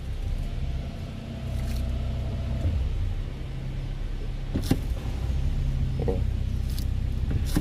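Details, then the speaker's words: Honda Fit CVT automatic, about 196,816 km, engaging Drive, heard from underneath: low, uneven rattle and shudder in the transmission from loose damper springs in the flywheel; planned fix is flywheel replacement, with an oil leak at the flywheel seal too. "Quando você põe no drive aqui, ó, ele dá aquele chacoalho no câmbio tremendo."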